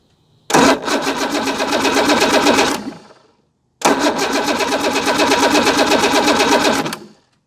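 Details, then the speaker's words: Evinrude 150 XP outboard that sat abandoned: two bursts of quick, even cranking that never fires. Fuel is good; owner suspects no spark. "so the outboard behind me refuses to start it will not start in any way shape or form so i suspect it has no spark because it has good fuel"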